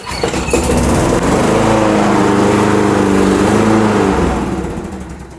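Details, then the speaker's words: Late-80s/90s John Deere 14SZ 21-inch self-propelled mower, 5 hp Briggs & Stratton, unrun 2–3 years, old oil: pull-start catches, putters about three seconds, then dies; owner thinks it needs carb work; starts then stalls. "And it stops. So I think it needs some carb work, so we'll go ahead and get it taken apart."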